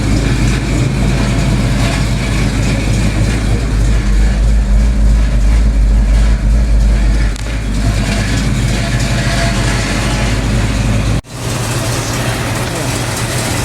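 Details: 1972 Chevelle big-block, at operating temperature after the overheating cause was found (a kink in the old thermostat housing kept the thermostat from opening): deep, steady, even lope with no knocks, ticks or hunting; normal idle.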